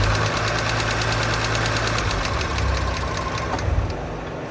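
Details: 2017 Audi S5 (B9) EA839 V6, 67,000 mi, idling with sharp regular tapping about four per second on bank two; suspected failed rocker arm, later confirmed, rocker arms replaced with engine removed.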